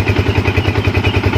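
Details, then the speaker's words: Yamaha Vixion showing MIL code 46, started before electrical checks: steady, even single-cylinder idle around nine pulses a second with no misses or knocks; idles normally. "Ya seperti ini ya Roman Oke dan tidak ada kendala di sini ya tidak ada kendala tidak ada laporan apa oke"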